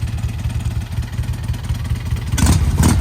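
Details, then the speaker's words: Crash-damaged motorcycle at an auction yard (likely bent forks, crimped exhaust pipe, broken tubing, damaged tank), just started: even, quick pulsing idle, then picks up cleanly on a couple of blips; engine sounds healthy. "Sounds good though. Huh. Well, we got one that ran."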